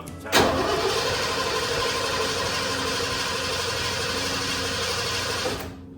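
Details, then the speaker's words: 1988 Ford F150 XLT Lariat 2WD after fuel tank replacement and fresh fuel: about five seconds of even cranking that never catches; the owner suspected no fuel, but the in-tank pump was later found to be delivering fuel. "I want to say it sounds like there's no fuel getting to the motor when I try to start it."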